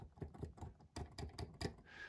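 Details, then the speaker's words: New Korg XE20 keyboard (owner's second unit with keybed issues): the G two below middle C gives a loud hard clack every time it's hit, unlike the cushioned soft thumps of neighbouring keys; hard-bottoming key, cause unconfirmed. "this g two below middle c and it is a loud key every time you hit it it just you just really feel it and hear it"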